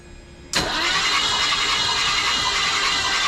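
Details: Newly bought project car, cranking: steady, even, brisk cranking throughout but never fires or catches; spark check shows no spark; crank, no start.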